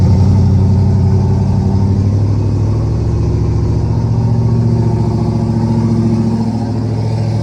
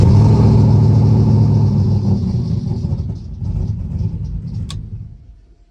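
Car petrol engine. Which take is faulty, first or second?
second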